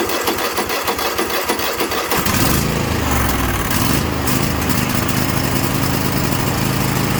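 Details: Craftsman T8200 Pro riding mower (2016, 46 hours) with 24 hp Kohler Elite KT735-3068, after carburetor repair and fuel lines flushed, catches after about two seconds then holds a steady, even run with no surging or stumbling; running healthy.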